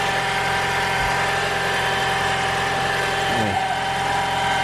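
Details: 2021 Toyota RAV4 Prime SE running in charge mode just after its first oil and filter change (0W-16): quiet, steady idle with an even hum and faint whine, no tapping. The oil filter briefly seemed to leak but was only uncleaned; runs normally.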